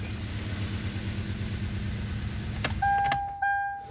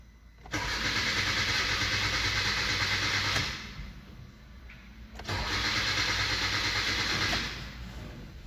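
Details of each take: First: Petrol engine of a 2016 Hyundai Accent idling evenly after a crank-no-start was fixed by replacing a blown fuse that had cut injector/coil pulse, then a couple of clicks and a held electronic tone. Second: 2016 Hyundai Accent petrol engine cranks steadily in two bursts, about three turns a second, but never catches; lights and engine light on, fuel present, no codes, injector pulse not arriving, so coil and injector wiring are to be checked.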